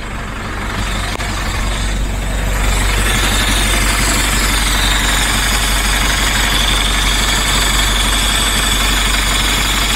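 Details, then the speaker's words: DAF LF Euro 5 truck at 712 rpm idle, during an AdBlue dosing test after replacing the faulty Emitec AdBlue pump: steady smooth diesel idle with faint high hiss; pump dosing normally. "Seen on the truck that's definitely dosing. I'd blew air out of the pump now."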